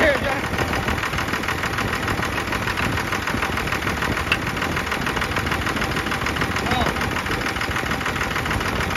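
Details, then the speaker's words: Second-gen Cummins diesel after a FASS lift pump filter change and bleeding the injector lines: even, steady diesel clatter at idle with no misses or hunting, all air purged and no dash lights. "sounding great everything all the air is out of the system to go back in action"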